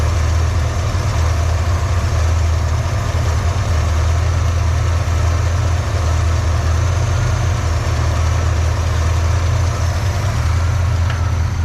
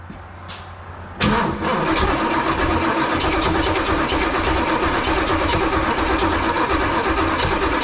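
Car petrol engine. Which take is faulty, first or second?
second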